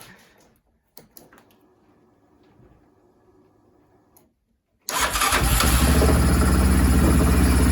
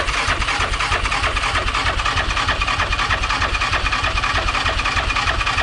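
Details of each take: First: Yamaha Rhino 700 after engine rebuild and reassembly, first start after being loaded with fuel from cranking: catches and settles into a fast, even idle noticeably above normal; idle needs adjusting down. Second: Rebuilt Yamaha Rhino 700 engine (777 stroker, stage 1 cam) cranked in neutral to build oil pressure before the plug goes in. Even, steady cranking at about three beats a second with no clunks; it turns over freely and oil arrives.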